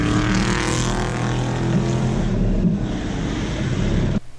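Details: Turbocharged Goblin race car at full throttle on track at Black Hawk Farms, never ran right since the turbo swap: loud ragged, uneven note over road roar, shooting fire and black smoke; running rough, cause found later.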